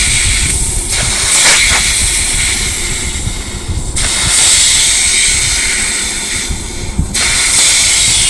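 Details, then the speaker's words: Rebuilt Trimatic TH180/3L30 automatic transmission (Holden Commodore), bench air test through a test plate on the clutches, governor and servo: loud, steady air hiss in repeated bursts with no leak hiss between shots. Circuits are sealed; normal. "all good we know it's all sealed up pretty well"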